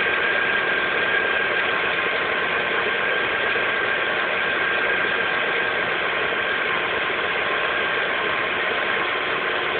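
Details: Lada Priora 2 with 21127 engine, 5,000 km: light, fairly quick tapping knock around three per second over a steady hum at cold idle; cold-engine knock, source undetermined.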